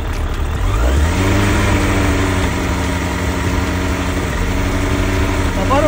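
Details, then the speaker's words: 2008 Suzuki GSF1200S Bandit carbureted four, idle lowered on a not fully warm engine: revs drift slightly up and down after a blip, no misfires; carbs not synchronized in 4 years, owner thinks not critical; hunting idle. "немножко плавают я синхронизацию не проводил 4 года Ну я думаю это не критично"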